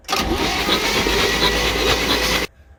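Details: 1966 Chevy G10 van with plugs out and ATF put in the cylinders: steady starter cranking for about two seconds with no firing; it spins over nicely but won't start. No spark seen; owner suspects the points need cleaning.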